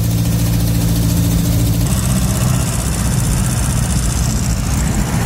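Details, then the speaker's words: Triumph Renown after replacing broken exhaust section that had fallen off: steady, low, even idle with deep smooth note, no puffing or blowing from exhaust; much quieter, tappets audibly need adjusting. "give it a bit of a run now with the exhaust not blowing too much you can actually get tap it you clearly need adjusting but yeah much quieter much quieter"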